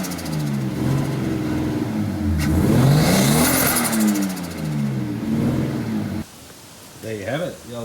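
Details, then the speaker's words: Old RB-powered Nissan Skyline R30 drift car, sat for years, first start after fixing no-spark (possibly corroded earths, missing vacuum lines, plugs, fuel adapter): engine catches and revs in uneven blips, still a touch rough, then settles; running again. "drift cars started and I'm gonna Live Another Day to burn some more paint off with some burnouts"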